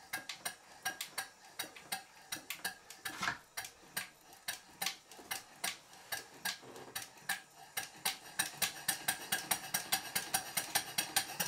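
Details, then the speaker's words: Small showman's steam engine model run on compressed air after fitting a new flywheel centre fitting, parts lubricated: light crisp ticks a bit over one a second, quickening slightly, from the mechanical lubricator ratchet; healthy smooth run. "I'd better mention that the click you can hear is the ratchet of the mechanical lubricator"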